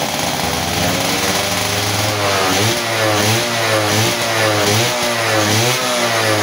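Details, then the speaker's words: Two-stroke motorcycle whose spark plug kept getting wet/flooded, after bending the reed valve membrane to seal again and gluing it: idles then revs up and down cleanly without bogging, power back and free-revving; normal idle and revving. "oke ya teman-teman eh motor udah enak kembali ya jadi tenaganya juga enak nih jadi di Udah Ee udah kedengaran ya jadi dari suaranya juga enak ya lepas gitu kan"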